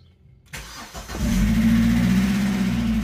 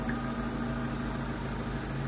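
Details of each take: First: Opel Astra Cabrio with hydraulic lifter clatter since switching to thicker oil, worse cold, after half a bottle of additive was added: it cranks and catches, then idles with a quick, even ticking about four times a second; the additive seems to help. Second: Opel Astra Cabrio running thicker oil, warm idle after half a bottle of lifter additive: smooth steady idle with only a faint light ticking, which is the purge valve, not the hydraulic lifters.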